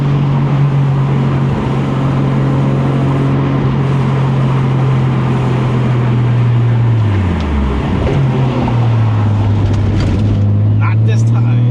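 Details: 1989 Toyota Supra, stock-block 2JZ-GTE, BorgWarner S362sxe turbo, T56: level 2 boost, about 20-21 psi, toward redline; strong tone climbs, dips on the shift, pulls again; clean, healthy turbo pull.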